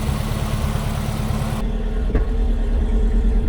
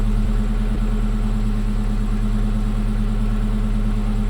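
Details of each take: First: 1965 Chevy El Camino with freshly rebuilt engine, idling while ignition timing is adjusted by turning the distributor; lumpy idle with irregular sharp pops that get louder after slight turning; popping at idle, timing suspected off. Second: 1965 Chevy El Camino, rebuilt engine after timing adjustment, idling smooth and even with no whistle or popping; earlier screaming noise traced to loose carburetor letting air in underneath; normal idle.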